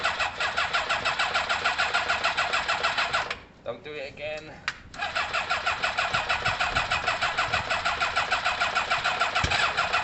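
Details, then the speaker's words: Kawasaki ZL600 motorcycle with new coils, tuned carbs and valves done: steady fast starter churn around three beats a second with no catch or firing, a pause, then more cranking; crank-no-start, owner suspects some plug leads need switching. "something's going on there what could it possibly be what could it be something's going on there guys um i have no idea it could be like for example these two could need switching"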